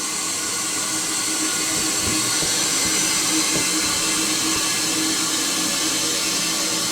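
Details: Toilet fill valve not closing: steady loud hiss of water running nonstop into the tank, the valve leaking.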